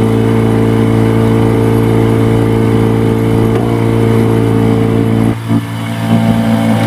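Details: Yamaha 15 hp two-stroke outboard, hard starting and lacking power: loud steady buzz that stumbles and briefly drops out before catching again, sputtering caused by stuck piston rings and a dirty exhaust.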